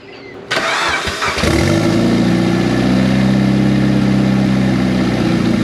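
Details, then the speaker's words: Turbocharged project car first started after almost 10 years, with straight header exhaust and no mass airflow sensor fitted: cranks, catches, then a loud raw high idle that wavers slightly. Unstable high idle; owner suspects the missing MAF sensor or the 1000cc injectors, unconfirmed. "anytime you started it it would start up it would rev up and it would hold idle for a little while like up in the high RPMs"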